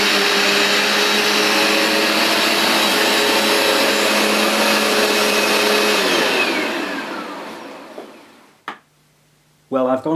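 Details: Vax Dual Power Total Home carpet washer, new replacement unit, cleaning a very dirty new rug: steady loud suction roar with dual-brushbar whirring, then motor spins down smoothly to a stop; sounds healthy.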